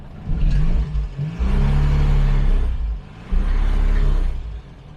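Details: Morris (BMC) 1300, engine warm (temperature gauge mid-scale) after a new engine mount was fitted: low engine rumble rising and falling twice as the car reverses and pulls away with a little throttle, no clunk or thump; smooth pull-away, no drivetrain clunk.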